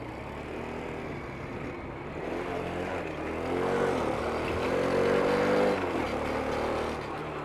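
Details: 2023 Vitacci Vader 125, 4-stroke air-cooled 125cc single, 4-speed manual, prepped new bike: even thrum rises smoothly as the throttle opens and settles back, no knocks or rattles; normal idle and revving, sounds healthy.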